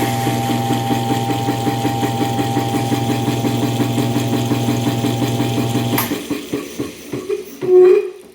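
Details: 1920s Usaco air compressor, switched on at its relay control box. Steady motor drone with an even pumping pulse, then it winds down after switch-off. Normal, smooth running.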